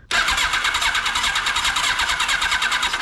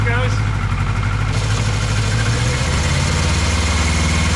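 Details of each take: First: 1982 Kawasaki KZ1000 LTD sitting about 35 years, plugs in: starter cranks at an even pace, about eight pulses a second, never catching; cranks but won't start, no spark found, owner suspects sticky valves from compression sound. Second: 1982 Kawasaki KZ1000 LTD sat about 35 years, after carb work, warmed up: deep, even four-cylinder burble holding steady about twelve seconds then shut off; only fires on all four once warm, choke circuit issue suspected.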